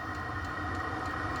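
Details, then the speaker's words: Diesel heater newly installed under a stacker race trailer, recorded outside at the short exhaust pipe: a steady low exhaust hum with a faint high tone and soft regular fuel-pump ticks. The heater is running normally, and the hum is not bad. "A little bit of a hum to it, but not so bad."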